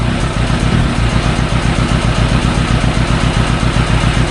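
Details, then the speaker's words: Yamaha YZF1000 Thunderace, hot, idling unevenly with a lumpy, stumbling beat on three of four cylinders and a faint ticking from the EXUP valve; the misfire only occurs when hot and disappears off idle, and a pilot jet is doubted. "yeah that now that's on three cylinders as soon as you bring it off idle the Mist goes away"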